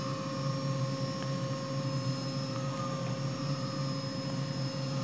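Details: Hitachi WJ200 VFD auto-tune on a new 3HP ATC spindle (Grizzly G0704 mill), with the motor spinning up during tuning. Even electrical whine with thin high tones over a low hum; normal run, auto-tune completed successfully.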